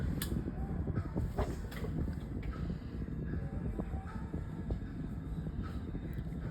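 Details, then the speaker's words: 16-inch Artic Aire three-speed oscillating fan on low speed: very quiet, soft steady low hum and gentle air rush with no rhythmic knocking, still blowing a gentle breeze; running evenly and normally. "Very quiet on low. Still blowing some gentle a gentle breeze."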